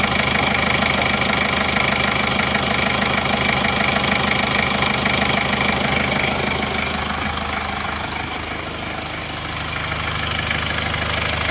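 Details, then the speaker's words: 34-year-old 1990 Chevrolet Trooper original diesel, never overhauled, warm at 75 °C after replacing a stuck thermostat: even, steady idle clatter about two beats a second, no misses, knocks or smoke; engine healthy. "suaranya halus dan renyah dari sini gak kelihatan asap juga ini Lur"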